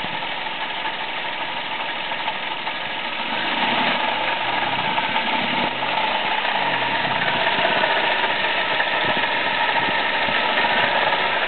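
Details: Toyota Aygo at idle with a rough whirring grind over the engine from a worn water pump, found by a mechanic; the noise at first came only when cold, not warm, then grew more frequent.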